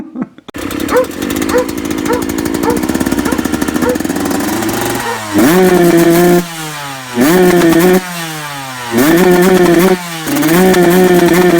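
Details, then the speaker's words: 2009 Yamaha YZ125 two-stroke motocross bike with a fault at high revs: repeated sharp rev blips falling back, rough uneven edge at the top; a suspicion from experience but cause not confirmed. "Donc voilà, problème sur la moto, il y a un problème à haut régime."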